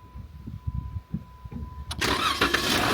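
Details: Overland vehicle stranded with a no-start, suspected fuel pump problem, traced to a faulty connection left by the GPS installers, switch cycled to test pump: soft uneven thumps while cranking, then catches at two seconds and settles into a steady, clean run.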